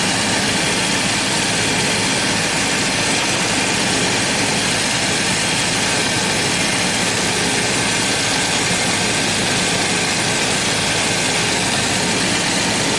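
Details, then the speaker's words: 1990 Jaguar XJS V12, warm, with the throttle linkages fully closed and the valve screwed all the way in: a smooth, fast, steady idle still over 1,000 RPM. Vacuum leaks in the many vacuum hoses are suspected of admitting unmetered air. "And we're still over 1,000 RPM. Crazy. So there has to be vacuum leaks somewhere in this tree of vacuum hoses."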